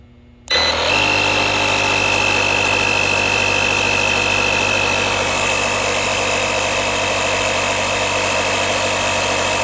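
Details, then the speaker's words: DeWalt 1400 amp jump starter with built-in air compressor, repaired by replacing a blown fuse, inflating a tire from 34.2 psi toward 38: steady buzzing motor drone with even pump chatter, compressor working normally. "the air compressor function seems to be working well i think we got a winner"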